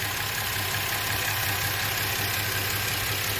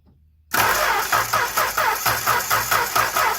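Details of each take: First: Warm engine with very high ignition timing, compression gauge fitted to one cylinder (about 50 psi at idle): uneven loping idle pulse about three beats a second over steady drone, running on five cylinders; dead cylinder misfire. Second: Engine cranked by the starter with the spark plug wire grounded, after a warm idle, before compression testing: a steady, even beat with each compression stroke sounding alike and no skipped or fast beats. Normal cranking.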